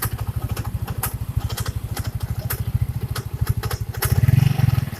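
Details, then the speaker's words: First-generation Yamaha Mio scooter at idle: steady thumping with irregular scraping ticks from the front of the CVT cover, starting seconds after startup and gone with the cover off; the kick-start shaft is rubbing the crankshaft. "Sebenarnya sih kayaknya saya sudah prediksi di daerah depan sini ada yang bergesekan."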